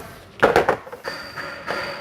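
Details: Chevrolet Corsa, suspension noise over potholes, wheel rocked by hand: a quick run of dull knocks from play at a loose shock absorber bolt, which is to be tightened rather than replacing the suspension.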